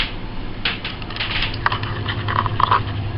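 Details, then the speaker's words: Oven convection fan running after lubrication: soft, even low hum with a few light clicks and none of the earlier intermittent screeching; fan now smooth and quiet. "and obviously the fan was in need of being lubricated, so it's dead quiet now."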